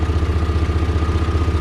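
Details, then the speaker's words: Rebuilt 1993 Chevrolet S10 4.3 L V6 idling after rebuild, number one rocker loosened slightly for being too tight, timing not yet checked: smooth, even low idle with steady pulse, no ticking or knocking; running on all six cylinders, healthy. "anyway uh she sounds really good the only thing I did have to do is I adjusted the number one it would take rocket just a tiny bit it was a little bit too tight"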